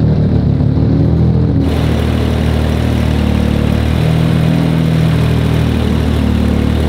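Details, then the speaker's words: Audi RS4 sedan engine on only its third start, being tuned, oil smoke/leak issue still unresolved: deep steady idle, even low drone, no knocks or misses; nothing audibly wrong. "12 Sekunden später chris hat nebenbei jetzt gerade schon ein bisschen wieder abgestimmt es war jetzt halt nun mal gerade mal der dritte Start"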